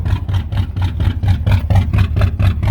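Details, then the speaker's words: 1983 Oldsmobile 98 with the 350 diesel, fire-damaged: heavy, hunting, stumbling idle with rhythmic chuffing about four per second. Diagnosed as a blown head gasket; the engine is coming out. "Yeah. Head gasket went. So, the 350's coming out."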